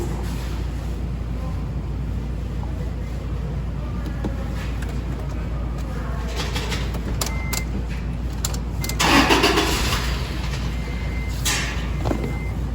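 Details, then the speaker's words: Toyota engine after rebuild, coolant temperature sensor just plugged in (unplugged it read overheating): steady even idle with no throttle input, no hunting or misses; normal idle. "I'm not touching the throttle that sounds better I plugged in the coolant sensor oh now it knows its temperature so it was reading that it was overheating"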